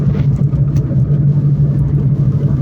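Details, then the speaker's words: Renault Kwid, driving: steady low drone from a front wheel over road rumble, with the steering shaking; front wheel noise, cause still to be found. "Ó a zoada que tá nessa roda dianteira. Olha a direção chega tá"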